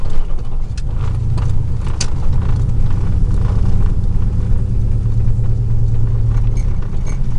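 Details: 2000 Chevy truck, 4.8 V8, four coils deliberately unplugged, driving; uneven lumpy chuffing rumble rather than smooth; misfire, running on four cylinders.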